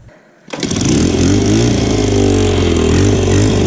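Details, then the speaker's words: Single-cylinder motorcycle after exhaust fix, old header gasket removed for a better seal, cold on choke and reserve fuel: catches cleanly into a steady even idle with no exhaust tick or puffing; leak and rattle gone, normal idle. "Alright guys, so it looks like just taking the old gasket out helped us get a better seal. She's not leaking anymore. Sounds pretty good."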